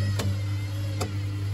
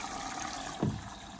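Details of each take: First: Baumatic BDI1485D4E 8 kg washer-dryer draining after the rinse: steady low pump hum with scattered irregular knocks from the drum; owner wonders whether the heating element in the bottom is bent up and knocking depending on load, cause undetermined. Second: Street-found Baumatic BDI1485D4E integrated washer dryer (8 kg wash/5 kg dry) on a test wash after draining: steady rushing hiss of water entering through the inlet with a brief surge partway; filling normally.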